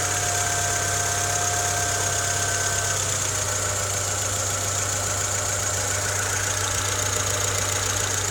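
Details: Honda Civic EK3 with D15Z6 engine at idle: steady hum with a faint, fairly regular light tapping; engine knock, source unclear.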